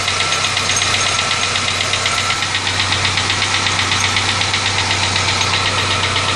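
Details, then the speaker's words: Engine at smooth idle with a fast, fairly even ticking knock about four per second; began right after an oil change, mass air flow sensor replaced because it was acting up, noise persists; cause not identified. "I don't know what that noise is it just started right after I did a water change I you know oil change I'm sorry but my mass air flow sensor had been messing up so I just put another one on there and I'm still getting the noise"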